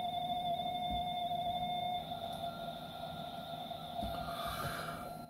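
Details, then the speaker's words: Amstrad CPC464 tape deck after idler tyre replacement, with belts already replaced and mechanism lubricated, microphone beside the computer: steady high-pitched loading tones, sounding better, but a slight speed wobble remains while loading. "so yeah it still sounds a little bit wobbly um but it's definitely loading stuff now"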